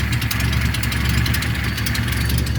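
Steady low idle with a faint, quick ticking puff riding on top; sounds like a small exhaust leak toward the rear.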